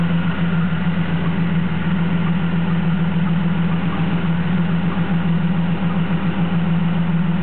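Steady low idle with an uneven, stumbling beat about three times a second; sounds like a cylinder dropping out, a misfire.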